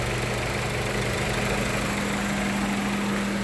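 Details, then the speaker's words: 1998 Honda Civic with replacement engine after rod bearing failure: quiet, even idle, steady low hum, no knocks or misses, bottom end in good condition; normal idle. "good condition bottom end wise very quiet actually one like a sewing machine"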